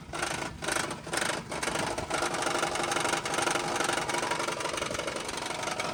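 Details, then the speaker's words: Car engine at idle after transmission work, owner theorizes reversed flex-plate; light rhythmic click a bit over twice a second on slightly uneven idle, revs dipping, quiet with gas, exhaust suspected: clicking at idle, cause unconfirmed. "focus on listening to the engine itself, the engine sounds smooth. >> Yeah. >> But there's this click click click click."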